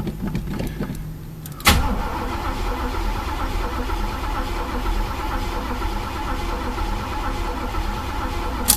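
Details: Chevy El Camino tried after sitting about 1.5 months, with its long-inaccurate fuel gauge now broken and the tank found empty. After a click the starter spins the engine evenly with no firing: crank, no start, out of fuel.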